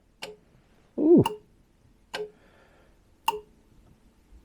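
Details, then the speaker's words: 1966 Jaguar S-type 3.8 manual overdrive, cold start solenoid temporarily wired and grounded: crisp single clicks about once a second with ignition on, engine off; solenoid clicking normally. "now when we switch the ignition on we should hear that click from the solenoid"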